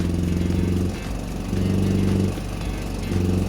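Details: Volvo that is hard to start after its throttle linkage was shortened, started on starting fluid and dying when choke is applied: it surges and sags unevenly as the throttle is blipped, never settling; poor throttle response, cause unclear.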